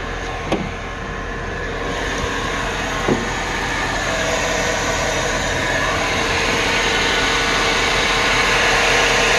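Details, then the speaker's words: Car after the serpentine belt and pulleys were replaced, heard at idle with the hood open. A steady whir with a faint high whine at constant pitch; an engine whirring noise, source in the front accessory area unconfirmed. "it's like a whirring sound"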